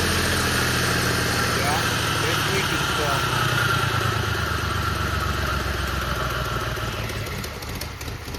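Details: Mustang after a new thermostat and sensor, warming up: uneven idle with a stumbling beat about four pulses a second that never smooths out; still misfiring, gasket leaking and something exhaust-related suspected, not confirmed.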